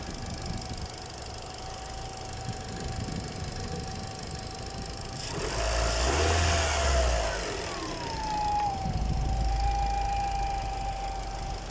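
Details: Peugeot 206 1.6 petrol, which also has noisy hydraulic tappets: steady high whine over the idle, dipping and climbing as revs change; cause unknown, shop fixed it quickly without saying what it was.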